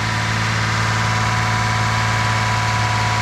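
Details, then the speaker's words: Engine idling just after timing belt replacement, with some smoke from old oil being burned off. Smooth, even idle with a steady low hum and no knocks, ticks or misses; running healthy. "But it sounds good. Very good."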